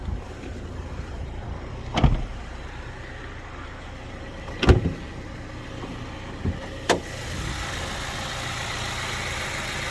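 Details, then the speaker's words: BMW E87 N43B20 2.0 petrol, 133,269 km, after timing chain and tensioner replacement, outdoors: smooth low even idle with a few handling clunks, no chain rattle or ticking; runs flawlessly. "idzie tak naprawdę idzie nieskazitelnie"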